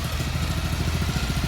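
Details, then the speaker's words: RATO 9.0 225 outboard on a 1973 Lund S-18 Resorter just after a choke start: steady, fairly quiet putter with even pulses, lawnmower-like, no knocks or misfires; healthy idle. "She's not real loud. It's about a lawnmower. And she's good."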